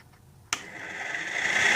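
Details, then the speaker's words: 2003 Honda Rincon 650 4x4 radiator fan running through a newly installed override toggle switch after fitting a 30 amp fuse. A switch clicks, then the fan whirs up with a rising whine and steadies at speed: normal radiator fan operation. "I thought maybe was having some problems with my fan but I'm going to go over and kick it and it'll just spin around that's it get on my toggle switch"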